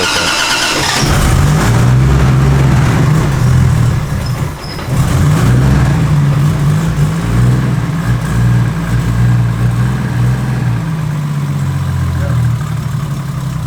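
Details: Naturally aspirated, manual 300ZX with a widebody kit, not yet on the dyno: it cranks and catches quickly, then settles to an even idle with clean throttle blips and no knocks or misses, a healthy engine.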